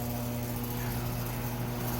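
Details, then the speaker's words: Older home A/C outdoor unit in Florida after replacing seized condenser fan motor: steady, even low hum with smooth air whoosh, no scraping or dragging; smoother than before, pipe getting cold; new fan motor healthy. "nice definitely feels smoother than before"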